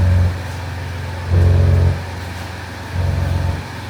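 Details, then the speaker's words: 2007 Audi A6 3.0 TDI V6 diesel quattro estate (codes P106B, P1580, P1545; throttle valve controller malfunction) idle hunting: low droning, phone-like ringing hum swells and fades about every 1.5 s, untouched; cause unconfirmed, vacuum solenoid/N75 considered. "crazy obviously no one's touching for all it's just drives all right just makes that sound"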